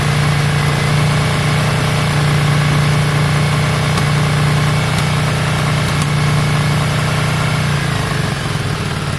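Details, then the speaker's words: Yamaha Virago V-twin after carb work, just started with choke on: a steady, even low thump with a smooth idle and no misses or knocks. It doesn't sound too bad; runs cleanly. "it doesn't sound too bad it doesn't sound too bad at all"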